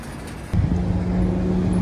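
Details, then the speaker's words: Farm auger after repair, running quieter: steady low hum with only ash grinding through it, no bearing squeak or squeal; normal running. "That auger is all fixed now, so running a lot quieter. You can just hear the ash grinding through it rather than the bearing squeaking."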